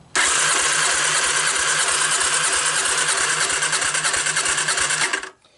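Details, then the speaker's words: 1985 Honda ATC250ES Big Red three-wheeler, abandoned about 20 years and rodent infested: five seconds of fast even cranking with no firing and weak soft strokes, low compression; valve lash is loose enough, so the intake valve is not sealing. "valve lash is plenty loose enough that means my um my intake valve is not sealing"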